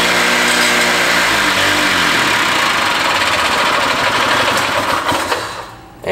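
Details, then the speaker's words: Barn-find Harley Davidson golf cart two-stroke engine, run on hand-filled fuel bowl plus ether: buzzes flat out a few seconds then sags and dies abruptly, out of gas after about a bowl's worth; fuel starvation. "it's out of gas again I'm only feeling I'm only filling the tube up to like down here so it's like the fuel bowl Plus a second of run time"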